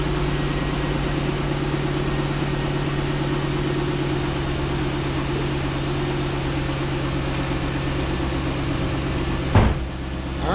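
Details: Corvette C6 Grand Sport LS3 V8 just after installing a Halltech MF-103 cold air intake with beehive filter: settled, even idle with steady low hum and consistent pulse, no stumbles or rattles; running properly, no check engine light.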